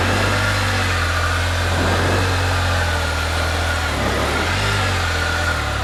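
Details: 2020 Can-Am Spyder F3-T trike after fixing a no-start condition by cleaning and tightening the electrical connections: steady, even low idle with a smooth hum and no knocks or misses; running normally.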